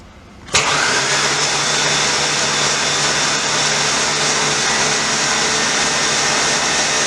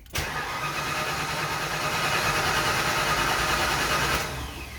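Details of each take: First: Mustang engine, spark plugs out, no belt, fully charged battery: smooth even starter spin about ten seconds with no compression pulses or firing, cranking to prime oil pressure; oil pressure achieved afterward. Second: Mustang engine first start attempt, intake reinstalled: steady cranking churn about four seconds, never catches into running; cranks but no start, cause still to be troubleshot.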